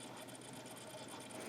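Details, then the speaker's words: Audio CD-R burned on a 20-year-old CD-RW drive: quiet rapid ticking and whirring as the laser keeps hunting and the disc slows; the player repeatedly fails to read the disc. "it's making different sounds oh it must be like towards the middle now it's just slowing down"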